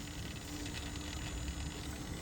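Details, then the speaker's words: Mitsubishi L200 with codes P0638 and P1498 (DPF overloaded): engine turned off, pipe removed; a thin, steady electrical buzz over a low rumble as the throttle actuator/anti-shutter valve gets power but doesn't move. "Yeah, no movement. That's definitely dead. I can hear it buzzing."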